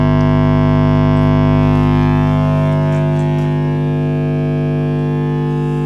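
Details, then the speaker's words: Marshall Origin 50 valve guitar amp on low output while warming up: loud, steady low hum with buzzy overtones unchanged by the controls, pointing to the output stage; failed smoothing electrolytic capacitor suspected, not confirmed. "oh that's horrible that really is horrible"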